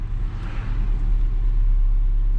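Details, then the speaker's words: Mazda B2200 pickup, cold start after sitting overnight (about 51°F), carbureted with three to four throttle pumps, in neutral: a steady, even raised fast idle with no misses or knocks, idle coming up as it warms; normal cold fast idle. "You hear the idle is coming up as it warms up a little bit."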